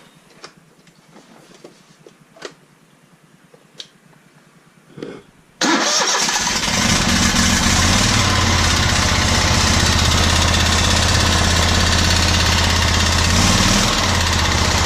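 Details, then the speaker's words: Kubota 60-inch zero-turn mower engine, about two years old, running with a loud, steady ticking knock that started after sitting about a week. The dealer suspects the lifter rotated and drained its oil from the weep hole, and called it normal. "And the only thing he could figure out is that the lifter must have rotated and the oil had drained out of the weep hole."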